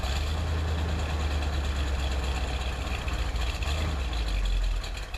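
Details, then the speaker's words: 1978 Corvette Silver Anniversary, L82 V8, automatic, cold start after sitting four months, about 60°F February day: steady even deep rumble at raised choke fast idle, no misses or knocks; normal cold fast idle. "what you hear from fast idle right now with the choke I'll leave it there for a couple minutes"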